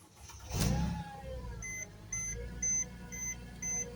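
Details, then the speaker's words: 2010–2014 Mercedes-Benz GLK that cranked but would not start, after a component was properly reinstalled, ignition on then started: starter catches quickly and the engine settles into a steady low idle under a dash chime; normal start. "Sorry. Vehicle just got start."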